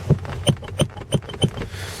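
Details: VAZ 2110/2111/2112 seat: five sharp creaking knocks, about three a second, as the seat rocks with play on a loose mounting that stopped tightening after disassembly, possibly a missing spacer; fixed by tightening evenly.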